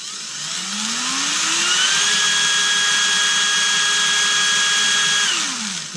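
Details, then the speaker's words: Erbauer 18V brushless drill with a suspected failed motor driver, running on a generic AliExpress replacement driver board: motor winds up smoothly to a steady high whine, speed varies up and down with the control, then spins down cleanly; runs normally. "So if we're going one way and if we turn this at the same time, we can go slower and we can go faster."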